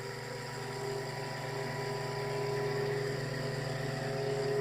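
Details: Homemade generator test with rebalanced rotor drum cylinders and new centre bearing, coils not connected, belt-driven at about 7000-7600 rpm: steady hum with clean even tone climbing slightly, no knocking, wobble or rattle; rotor well balanced.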